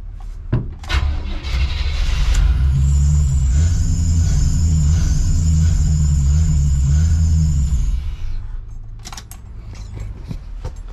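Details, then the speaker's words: Chevy square-body crew cab TBI truck after cap and rotor tune-up: cranks, catches, runs briefly at raised speed then sags and dies unless held on throttle. "so it just dies all right so I can do it again and it'll keep doing [Music] it all right but I can hold it idling if I hit the [Music] gap that dies it"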